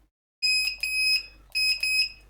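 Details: Evercross electric scooter, reassembled after checking an internal rattle: horn gives two quick bright, steady electronic beeps, clean and loud; working fine.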